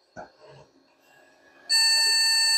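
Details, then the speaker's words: Vintage beige PC pulled from e-waste, first power-up with the CPU fan just plugged in: after a short quiet moment one sharp, high-pitched continuous beep sounds. Hard drives don't spin up and there is no boot, a POST error of unknown meaning. "didn't spin up it's not very happy definitely complaining about something"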